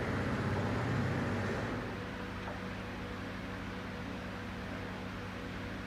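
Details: Toyota Tundra 3UR-FE V8 with a cylinder 7 misfire before an engine rebuild: steady low engine hum with a fairly even fast pulse, and the misfire is not obvious by ear.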